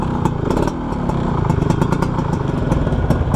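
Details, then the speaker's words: 1991 Suzuki Crystal two-stroke running evenly: rough, rattly, tinny exhaust note from a wrongly chosen muffler while the engine itself sounds smooth. "Jadi suara knalpotnya menurut gua kurang mendukung, John."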